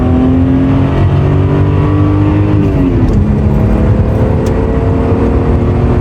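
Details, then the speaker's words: Toyota Cressida MX83 after engine swap and auto-to-manual conversion, 53,700 miles; revved to show exhaust, note climbing, dropping, rising again smoothly with no knocks or misses; normal healthy revving. "this car currently has 53 700 miles on it which is pretty pretty low i'll give it a little exhaust mode for you guys"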